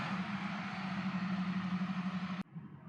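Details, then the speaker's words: 2006 Lexus SC430, towed in from body shop with communication codes: even starter cranking about four beats a second that never catches; crank-no-start, immobilizer ECU communication stop, flashing security light, immobilizer ECU without power. "and now we're gonna go for the cranky cranky and as you can see we have a lot of cranking not a lot of starting"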